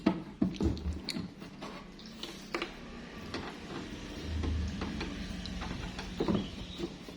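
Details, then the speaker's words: Audio mixer (parametric) that powers on but sounds distorted and hums: a low, steady hum under the output with handling clicks; induction from a poor-quality transformer or poor internal wiring is suspected, not confirmed. "Biasanya, dengungan itu adalah induksi, mungkin dari transformator yang mungkin tidak terlalu bagus, atau bisa juga metode pemasangan kabelnya juga tidak terlalu bagus."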